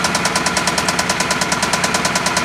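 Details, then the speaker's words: Petrol Hyundai engine idling with a fast, even top-end lifter tick, about nine a second; coolant bubbling out of the radiator with exhaust gases and milkshake oil point to a blown head gasket. Sounds somewhat like rod knock but is top end. "exhaust gases for sure yeah blown head gasket blown head gasket and that's why the engine's making that noise"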